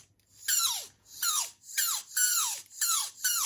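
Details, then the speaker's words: Savox steering servo on an Axial SCX10 Rubicon crawler with aftermarket Crawlster steering squeals like a hamster in repeated falling squeaks during steering movements after an off-road weekend; owner suspected a defective servo, and the steering moves very stiffly. "Zur Erinnerung, als wir am Wochenende unterwegs waren mit dem Crawler, fing auf einmal das Ding an zu quietschen, wie so ein Hamster."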